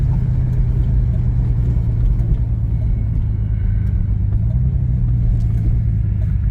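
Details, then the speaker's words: 1989 Pontiac Grand Prix Turbo McLaren on road test after spark plug change, won't shift: steady low drone that breaks up with any throttle; suspected misfire under load, cause not determined. "yeah it sounds like we're missing or I don't know what's going on it don't sound good"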